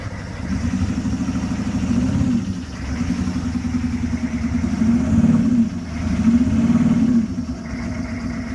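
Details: 6.5 L Detroit diesel at idle with an uneven, lumpy beat and recurring dips in the clatter; one cylinder is misfiring.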